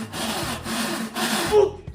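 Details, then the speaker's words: Consson washing machine during agitation only, with spin normal: loud, rough scraping rasp repeating with each agitation stroke; the pulley is worn and very loose. "Eu percebi que a polia dela tá fazendo esse barulho e ela tá bem bamba, bem solta."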